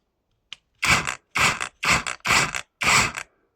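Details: Parkside Performance X20V Team 3-joule cordless rotary hammer after repair (a burnt wire phase found): five short trigger bursts of rapid hard hammering rattle, starting and stopping cleanly; the tool runs normally again.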